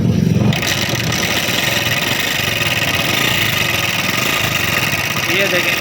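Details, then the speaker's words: Honda CD70 motorcycle running hot and noisy, tappet cover off, oil level fine but no oil reaching the head: after a quick start, busy dry ticking chatter over steady idle; valve train noise from oil starvation. "देखें, इंजन में से ऑयल बाहर नहीं निकल रहा। इसका क्या प्रॉब्लम है आज की वीडियो में मैं आपको डिटेल से बताऊंगा।"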